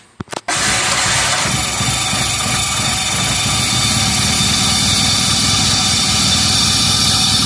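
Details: 1985 Shelby Charger after decades off the road, with a new larger fuel pump, tank, plugs, wires, coil, cap, rotor and fresh oil: it catches after a short crank and settles to a steady but low idle.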